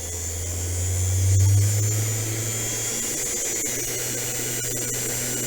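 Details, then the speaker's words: Sainsmart CNC 4040 Pro used as overhead router, spindle turned right down to 3,500 RPM: winds up smoothly to a steady low hum with faint high whine, even, no rattle or rub. "Okay, I'm going to switch the machine on now, turn the RPMs down, right down, and as you can hear, that's travelling at 3,500 RPM."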